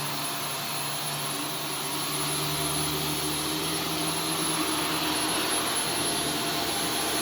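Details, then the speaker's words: Vacuum on carpet mode picking up Arm & Hammer carpet freshener powder: strained high whine with hollow, starved airflow note; powder coating cyclone and clogging filter, choking suction. "it sounds like it's choking what it sounds like it's choking probably because it is"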